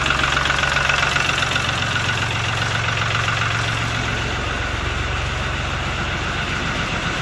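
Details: Lister ST3 three-cylinder air-cooled diesel on an old sewer jetter, first start after purchase, cranked without decompression: steady even clatter at fast idle, evenly spaced knocks, no misses or hunting; healthy.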